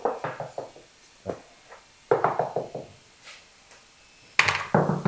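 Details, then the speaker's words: Glued solid oak parquet lifted and warped by a water leak, tapped to find how far it has come unstuck: separate taps, several ringing dull and hollow rather than solid, showing debonded boards to replace. "Là pareil, on entend bien, ça sonne le creux."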